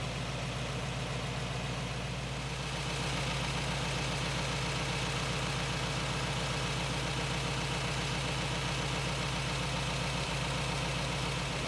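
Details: 1917 Cadillac convertible, original except engine fully rebuilt in the 1960s, warming up: smooth even low idle with steady regular firing pulses, no knocks or misses; healthy.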